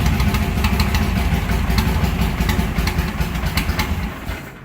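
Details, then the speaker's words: Car with mechanical fuel injection, still warm, at end-of-day shutdown: fuel shut off and left idling; lumpy idle stumbles and fades as it runs completely out of fuel and stalls from fuel starvation. "And then what I'll do is I'll shut the fuel off and just leave it run, leave it idle until it runs completely out of fuel."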